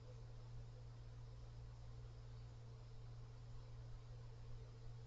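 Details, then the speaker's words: Cooler Master Mobius OC 120 fan at maximum speed, blowing toward microphone: constant low droning hum with a fainter higher tone over airflow; several harmonic resonances, cause unknown. "oh there's a Harmon residence there's also another noise and I I'm not sure how to describe it or what's causing it another harmonic resonance"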